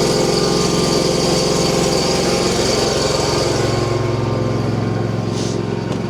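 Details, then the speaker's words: Frozen mower with Kawasaki engine, cold-started on a freezing December morning by heating the cylinder directly instead of more starting fluid; steady, even quick firing rate, no misses or knocks: normal running after cold start. "All right, so I didn't spray any more starting fluid in there. I just heated up did that trick I was telling you guys about."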